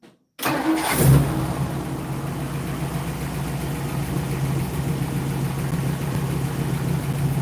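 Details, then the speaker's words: 1960 Ford Starliner, engine started after a long sit: it catches right away, then settles into a slow, low, slightly lumpy idle with no revving; the idle stays low, and smooths out a little later. "Little bit of low idling right now. I would have revved it a little to wake up the idle, but I was already climbing out."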